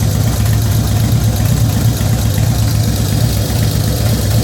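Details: 2004 Harley-Davidson FXST Softail, almost 10k on engine, ridden hard: loping V-twin idle with faint light top-end tick that began after a recent fluid change to HD Syn3 in all three; cause unknown.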